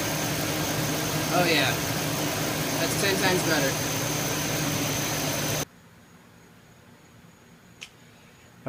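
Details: 2004 Chevy Suburban 5.3L after fan clutch replacement, which had caused warm A/C at idle and slight overheating: steady, even idle with a smooth fan whoosh, no slipping or roaring clutch; fan clutch working normally.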